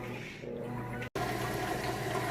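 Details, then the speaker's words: Whirlpool HE washer moving from wash into rinse cycle. Steady rushing water over a low pump hum, draining nice and fast before spinning and refilling to rinse. Normal drain. "we are moving out of the wash cycle into the rinse cycle. You can hear it draining that water out nice and fast."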